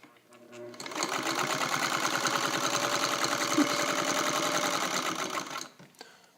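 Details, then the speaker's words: Fully restored Singer 301A rotary sewing machine, powerful motor, test-stitching a long stitch at medium speed: even quick stitching clatter about three beats a second, smooth start and stop; normal running. "And that was sort of a medium speed. I'm going to show you sort of the range of speed that you can get with this particular machine."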